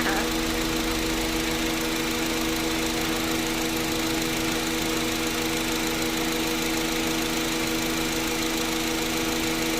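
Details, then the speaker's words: Honda City after AC repair (loose bearing had burned the compressor clutch; clutch set replaced, compressor oil changed, refilled) idles steadily with the AC compressor running, smooth hum, few fixed tones, no knocks or grinding: normal idle. "เราก็เปลี่ยนชุดหน้าคณะที่ว่ามาตอนแรกนะครับไม่ทำงานนะคะตอนนี้มันก็ทำงานปกติค่ะ"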